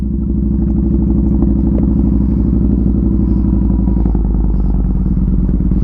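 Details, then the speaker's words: Motorcycle that keeps dying, started and warming up at about 65°F. A loud, lumpy idle with a steady low thump of about three beats a second; the owner believes it dies from not being ridden enough, cause unconfirmed. "The bike's been dying. I th"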